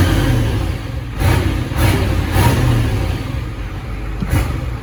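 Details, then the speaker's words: 1986 Ford F350 dually, 7.3 IDI diesel with ATS turbo kit, run in the shop; downpipe audible through the transmission tunnel. Rumble swells and falls with throttle blips, no knocks or misfires; healthy. "It's gotta have oil pressure to run that smooth. You can hear the downpipe through the transmission tunnel."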